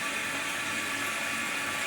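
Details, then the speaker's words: Toilet with a fill valve over 20 years old, after flushing: continuous hiss of water that never shuts off, tank refilling and spilling over the overflow tube; fill valve not closing, running toilet. "Is your toilet running and running and running like this one after you flush the toilet? I can't tell you how many times this has happened. I'm at Mother's house and it's just continuing to run, and I'll talk to you about that in a minute."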